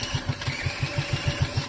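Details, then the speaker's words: Wisconsin Model AB engine, hand-cranked with head bolts retightened and exhaust blocked by hand: about ten strong, even puffs in under two seconds; compression is good, spark not yet checked. "It's actually making good compression."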